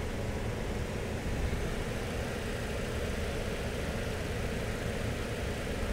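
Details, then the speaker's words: 2007 Toyota Yaris with a shaking, misfire-like low idle and battery light on: engine idles smoothly and evenly with a slight belt screech. "hey it started just mine seems to be idling beautifully and we got a little bit of a Bell screech but that's not our concern for today"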